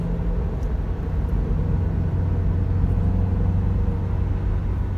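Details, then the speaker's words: Toyota Terios after the front repair and a broken differential mounting were replaced, driven at about 60 km/h then in neutral: steady road rumble with no hum or growl, the earlier noise fully cleared. "Neutral हो चुकी है गाड़ी और कोई आवाज नहीं है अल्हम्दुलिल्लाह गाड़ी क्लियर हो चुकी"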